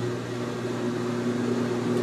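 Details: GE Infusor GTWN5050M0WS H.E. washer on an empty cycle, draining after the clothes drip-dry pause: steady, even low drain pump hum with no rattle, louder than the machine itself; working normally.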